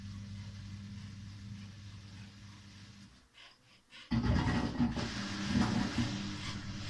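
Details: Samsung WW5300 (WW95T534CAE) washing machine on its second use, bought as an outlet item, very loud from the beginning. A quiet motor hum and a brief pause are followed by a sudden loud rushing roar with rough mechanical noise; the cause is unknown.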